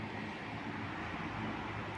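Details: Electric fan that spun slowly, after replacing one cheap part, running on speed 1–2: steady even whoosh of air, no hum, rattle or wavering speed; fan runs smooth and strong.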